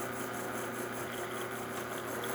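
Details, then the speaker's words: Rocket Giotto espresso machine after full service with new lever and brew switch, brewing a shot at about 9-10 bar: steady vibratory-pump buzz with a faint regular pulse, no rattles or strain; normal. "see it's going to run a little fast because it's not coarse enough, but we are brewing at 9 bars, kind of 10 bars, and yeah, we're just going to let that run."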